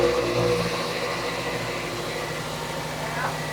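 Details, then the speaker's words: 2006 Toyota Matrix 4WD, exhaust forward of muffler replaced within two years; noise seems to come from the rear. Revving gives a muffled, choked note lacking crispness; owner suspects the muffler disintegrating inside, causing restriction. A small leak was later seen at the muffler clamp joint. "I don't think it's forward of the muffler and I can kind of tell it's coming from the back of the car."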